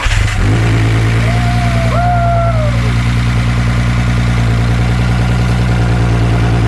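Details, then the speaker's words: VW Jetta first start in years: fires right up and settles into a loud even deep idle, steady beat, no knocks or misses; good idle, to run about 10 minutes then drain oil. "like sounds amazing there he goes he's got a good idol huh damn it's ready fired right up"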